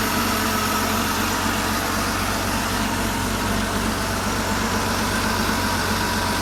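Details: Porsche flat-six engine after full rebuild (bottom end reassembled after broken valve spring debris, collapsed chain tensioner, cam and rocker wear), first test run on an engine stand: steady idle with busy mechanical clatter on top, no misfire or stumble; healthy.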